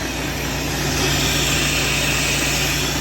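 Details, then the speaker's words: Volvo truck disconnected from trailer, diesel idling at workshop: steady hiss as air pressure won't rise past green; air dryer leaking completely, to be removed and checked for dirt or failed spare part, cleaned if dirty. "எங்கயோ league sound கேக்குது. பாக்கலாம். ஓம் ஏற கம்ப்ளீட்டா league ஆயிட்டு இருக்கு."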